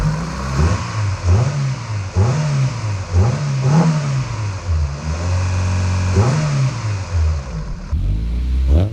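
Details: Rebuilt B18C5 Type-R four-cylinder swapped into a 2000 Integra GS-R, first start, free-revved after a warm-up: crisp, clean blips roughly every second and a half, no knocks or misses. Sounds healthy.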